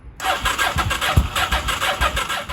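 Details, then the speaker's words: 1983 Honda Shadow VT750C after final assembly, choke at half: steady starter churn, about six or seven compression pulses a second, never catching; owner believes it flooded while cranking, draining the battery, plugs wet. "think I for sure flooded it as I was cranking it and killing the battery so it's gonna let the battery charge"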